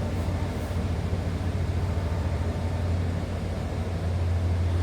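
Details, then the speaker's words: 1992 Ford F-150 XLT, 5.8-liter V8, automatic, about 40,834 miles, warmed up and off high idle at low idle: steady, even low rumble with soft exhaust burble, no knocks or ticks; sounds healthy, though muffler has a small rotted spot. "There, it warmed up, came off the high idle if you wanted to hear it, I guess, on the low idle also."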